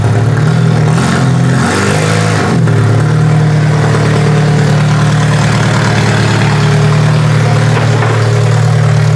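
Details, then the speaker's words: Toyota Solara demolition derby car after work: the engine revs briefly, then settles into a steady, even hum with no knocks or misfires; normal running, sounds healthy. "This car sounds like it's running really, really good. I'm pretty happy with that."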